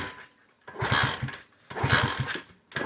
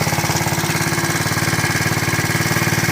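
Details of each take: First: KC pit bike (Pep Boys, roughly 15–20 years old) after sitting 3+ years, fuel petcock on reserve after a kickstarter repair: eight kicks at about one per second, each a brief chuff that dies without firing; cranks but no start, cause unconfirmed. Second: KC Pep Boys pit bike, small air-cooled two-stroke, first run after sitting 3+ years, cold at about 40°F on choke: quick, even popping buzz that runs steadily without stumbling; normal cold running on choke.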